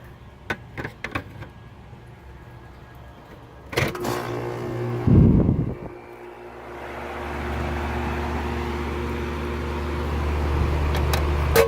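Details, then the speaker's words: 2002 Lennox Elite series 3 or 3.5 ton central AC with Copeland scroll compressor, outdoor unit, first startup of season: a few clunks, then a low steady hum swells and holds as the compressor kicks on; normal startup. "and she's off hear the copeland scroll coming on"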